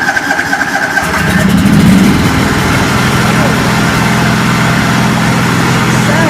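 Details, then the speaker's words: 1989 John Deere 285 with Kawasaki FD590V V-twin, probably still warm, after new spark plugs, plug caps and ignition coils: quick crank, fires at once, steady even idle without stumbling; huge improvement over before. "Better. Wow, what a difference. Huge difference. I didn't realize how bad she was."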